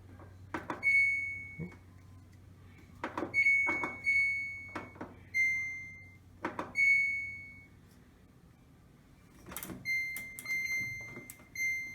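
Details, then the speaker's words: Samsung DV45H7000GW/A2 dryer running after three loads: high, thin squeaks every second or two as the drum turns; worn drum rollers, belt and idler, replaced with a kit. "after three loads of laundry i got it to squeak a little bit but uh this past speaker was sweeping a lot so you can see you can hear a little bit of the squeak this is what we're trying to eliminate"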